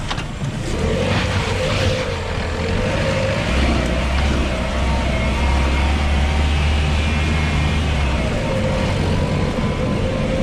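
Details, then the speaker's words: 2020 LADA Vesta SW Cross, 13,300 km, 1.8 engine, AMT gearbox, updated SAAZ front struts on broken dirt track: steady road rumble and tyre roar, no sharp knocks or clunks from front struts; suspension normal. "вы все увидели своими глазами и услышали своими ушами насколько отлично отрабатывает обновленное стойки"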